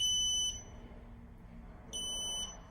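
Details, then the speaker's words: TMV DVR monitor with no TF/SD card inserted: two sharp high beeps about two seconds apart, warning that the recorder is not recording (no red light); the beeping continues. "drivers need to report this immediately when the notification pops up and when they hear that beeping continues beep beep because it's not recording"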